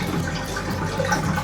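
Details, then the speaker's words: Bathtub drain after clearing slow drain, about 4 inches of lukewarm water released: steady rush and gurgle swirling down without hesitation, water heard through overflow; normal free-flowing drain. "We will pull the drain piece out, stop it, and if you can hear water coming out of the overflow like we can now,"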